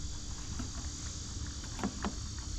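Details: Lymow One robotic mower on day 3, track motor running after track removal and inspection; faint light ticks with a couple sharper clicks a quarter-second apart over quiet motor and wind; track clicking persists, cause not yet found.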